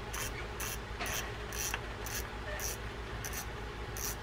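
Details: Shimano Spirex 4000FG spinning reel, after a full service (it had run stiff with no anti-reverse and a cat-like noise), handle test: light clicking in even bursts about twice a second, no grinding or catching. It cranks freely.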